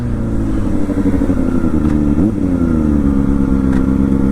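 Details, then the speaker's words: Kawasaki Ninja ZX-4R without quick shifter: engine pulling, then a hard clunk on the shift as revs drop; stiff, notchy shifting, clunky between first and second and on downshift from fourth to third. "but you hear the clunkiness going from first to second and second to first I understand it being clunky cuz we're passing neutral"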